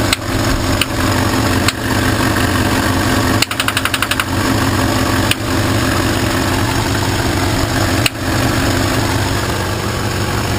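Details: Engine idling steadily after the ignition was hooked back up, with sharp knocks or ticks breaking through at irregular, uneven intervals; intermittent engine knock/ticking at idle.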